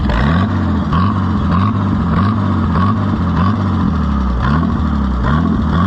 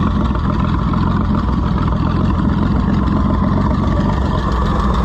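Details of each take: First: Farmers Union No. 2 Co-op tractor with Zenith carburetor, after oil change with stop leak: idle surges up and down in a regular wave about every half second, never settling; governor hunting/wobble. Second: Farmers Union Co-op No. 2 tractor after an oil change and stop-leak; motor possibly a swapped-in truck engine with a history of sludgy oil: deep, steady, even idle, no knocks, misses or rattles; healthy.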